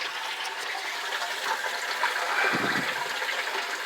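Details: Attic water tank ball cock float valve after repair, water turned back on gently: steady hiss and trickle as tank refills, gush partway through; tank refilling normally.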